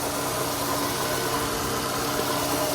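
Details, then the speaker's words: 2002 Toyota Camry petrol engine idling after the repair: smooth, even idle with a steady hum and no knocks or misses; the earlier misfire noise is gone. "and just like that the car sounds like it's all night nice and asleep all over again just like brand new from the"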